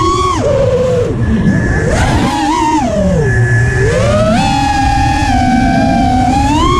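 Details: Emax LS2206 2300kv brushless motor: a warbling whine that swoops up and down in pitch with motor speed and has a rough, uneven edge. Owner wonders whether it is a bad bearing; the cause of the abnormal noise is unknown.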